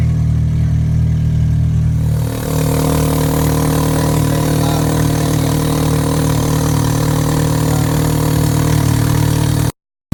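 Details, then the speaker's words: Honda Civic EX with newly installed DNA Motoring aftermarket headers and a test pipe replacing the stock cat, catback not yet fitted: engine fires into a steady, loud, raspy idle with a deep even drone; nothing faulty. "I must warn you guys though my car does sound very very loud now with the headers"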